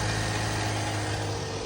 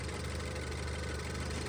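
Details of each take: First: Range Rover Evoque petrol engine at start/idle with a loud, busy metallic rattle over a low hum; timing chain rattle, to be fixed by replacing the timing chain, tensioner, sprockets, oil pump and pulley. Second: Range Rover Evoque petrol engine idling smoothly after replacing the timing chain, oil pump and pulley, tensioner, and cam and intake sprockets, which had rattled at start; steady low hum, no more noises, at 34 degrees.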